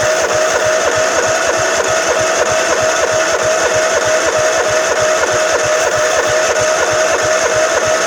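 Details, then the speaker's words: Craftsman LT1000 mower with 15 or 15.5 hp Kohler engine, sat about five years, cold start: starter whirs with steady whine and even compression strokes about 194 a minute, never catching; crank no start, no spark. "I ain't got no spark"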